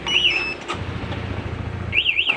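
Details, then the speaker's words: Honda CBR 150 old with BHT Gold smart key alarm: remote red button kills running engine, starter disabled, and shrill warbling anti-theft siren sounds over a low rumble. "pencet tombol merah ini mesin mati dan alarm bunyi starter nggak bisa"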